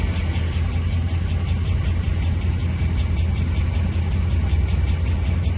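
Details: 5.7 HEMI V8 at idle: faint, light, regular tick over the low rumble, keeping pace with engine speed; source of the engine ticking not pinned down.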